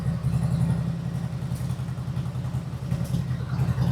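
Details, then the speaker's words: 1999 Harley-Davidson Road King, carbureted, sat for years, after carburetor replacement: deep uneven V-twin idle lope, steady and strong with no knocks or misses; runs great but smokes heavily on startup, possibly stuck rings or leftover fuel additive. "Runs great. Just don't know why it's smoking."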